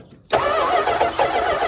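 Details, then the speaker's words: Crank-no-start after spark was lost; ballast swapped from another wagon, then spark checked, ignition unit suspected failed. Starter spins the engine at an even churn but it never fires; no spark, ignition module suspected, new unit to be fitted. "think it's actually the ignition unit. I'll put this one in now."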